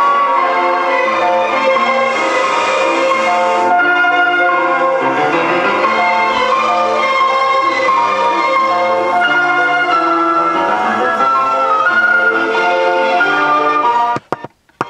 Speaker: you can can hear that it's kind of distorted and it sounds like the am alignment the if alignment's off like it shifted real hard over to one side